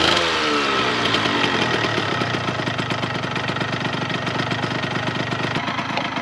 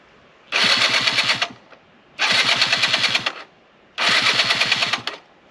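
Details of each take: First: 1998 Yamaha RZ50 two-stroke 50cc, restored engine started after fixing an exhaust leak: brief rev settling to a quick, even, buzzy idle, quiet and healthy with typical two-stroke high tone. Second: 1998 Yamaha RZ50 two-stroke 50cc, first start after restoration with seals replaced and refinished muffler fitted: three short hissing, spitting crackle bursts from a bad exhaust leak, later fixed, after which it ran quietly.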